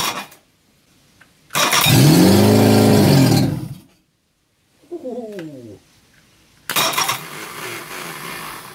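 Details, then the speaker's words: Reliant Fox four-cylinder engine, unrun for years, first start on the garage floor after ignition improvements, running on the fuel in the float bowl with the block filled with Coca-Cola. Short firing bursts with gaps, then it runs crisp and even: normal running. "Wow that sounds beautiful it rather late gosh she's a runner and she's running on the fuel in the fuel bowl"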